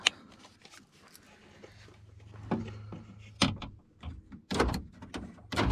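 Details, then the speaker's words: 1997-2001 Honda CR-V after replacing the corroded power door lock module with a used junkyard unit: the lock actuators clunk crisply in quick bursts, locking and unlocking properly; repair fixed. "and it does it's working open and close nice stick look forward knobs everything's working nice"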